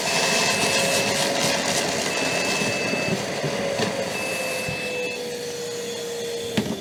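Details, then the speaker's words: Metabo AS 36 (heard as "36830 PC") cordless wet/dry vacuum on turbo roars and gives three long, high beeps: a filter-control warning of a possible blockage in the hose or filter that should be checked. "now that beeping sound is a filter control so it tells you that you might have a blockage in the pipe or the filter and that you should check it"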